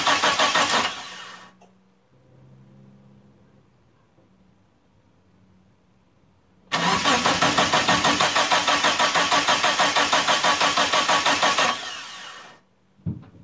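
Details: Turbo Eclipse GST, first start attempt after about 9 years off, fresh fuel: two long bursts of even cranking at about three beats a second, never firing. No fuel pump prime heard; scan points to the fuel pump, bad or faulty wiring. Cranks, won't start.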